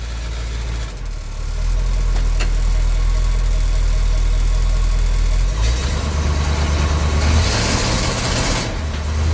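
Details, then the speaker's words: K30 fire truck with new mufflers, warmed up, on a test drive: it runs fine at part throttle, but under heavier throttle the beat turns ragged and breaks up. The cause was a failing ignition coil; a replacement fixed it. "well the drive didn't go very well because of this it runs good at part throttle but soon you have much throttle she starts breaking up"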